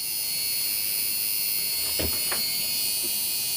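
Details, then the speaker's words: Marx Big Job toy dump truck steering (directional) motor, geared to turn the wheels, after its seized bearings were oiled: steady high-pitched whirr with no catching or rattle, spinning freely and evenly. "This is the directional motor that turns the steering wheels."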